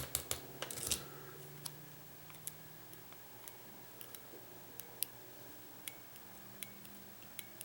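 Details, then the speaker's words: 1994 Saab 9000 fuel injector on a bench test after cleaning and new seals: the relay ticks about once a second but the solenoid does not open and there is no spray, so the fuel injector is stuck closed. "hear the relay in it but the actual solenoid is not opening let's see if it'll force so we can force it open with uh pressure"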